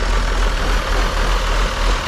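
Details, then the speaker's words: Auction-bought John Deere diesel engine, gravity-fed from a funnel: deep, steady diesel rumble idling smoothly after air in the fuel cleared; remaining issues are air pockets and the makeshift fuel setup. "we're just having fuel issues with the way we got it set up cool that thing actually runs really good"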